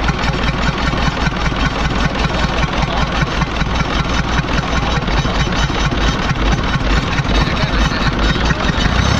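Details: Kia diesel engine at idle, owner reports it getting progressively weaker: rough, uneven beat near 150 a minute over a deep drone; abnormal engine noise, mechanic unable to find the cause.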